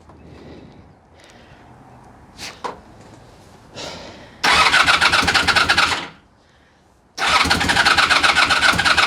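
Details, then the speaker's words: Honda VF1000F first start during resurrection: after a few cranking tries, two harsh uneven bursts that cut out when revved; owner suspects rear cylinders not firing, running on two cylinders. "Sounds like it's running on two spark plugs. When I rev it, it goes out. So, back ones are not working. Back cylinder is not working."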